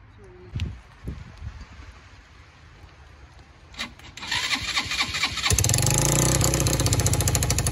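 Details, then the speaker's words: Just-acquired free quad (four-wheeler) with spark confirmed and solenoid jumped since the start button doesn't work; a few short cranks, then it catches and runs with a lumpy, uneven beat. It runs rough and the carburetor needs fixing. "It runs, as you guys can see, but it has problems. So the next step is to try to figure out how to get the start button to work and to fix the carburetor."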